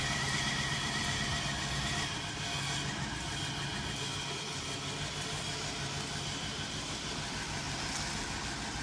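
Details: Chevrolet Express van that died with a bad fuel pump, kept running on sprayed brake cleaner to drive it onto the lift: the engine coughs and runs ragged, surging then sagging as the cleaner burns off. Fuel pump failure.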